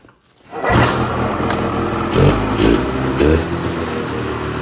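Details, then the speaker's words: 1978 Polaris Cobra 440 two-stroke snowmobile engine, free revival project, after exhaust refitted: fires up and settles into a crisp, even run with clean throttle blips, sounding a lot better; normal running. "a lot better"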